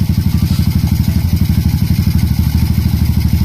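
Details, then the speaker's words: Honda RS 125 after top overhaul, idling once the idle screw was raised: steady, even single-cylinder putt with no knocking or clatter on top. The earlier lagutok (engine knock) is gone. "Okay, wala na yung lagutok mga kaduit, oh. Tahimik na siya."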